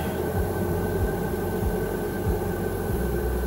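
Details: Chinese diesel air heater in a truck, starting at a 22 °C setting on a 2.5 mm² cable wired directly to the battery. A steady fan whir over soft, regular fuel pump ticks about every 0.6 s; normal start-up.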